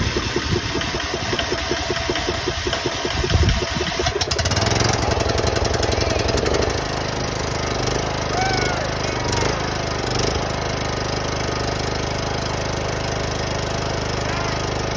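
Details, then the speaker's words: 2004 John Deere riding mower with Briggs & Stratton engine, new battery fitted, choke on; after a few cranking strokes catches and settles into steady, even small-engine run, no misses or knocks; running fine. "Ooh. Solenoid work. There you go. It cranked. Choke is on."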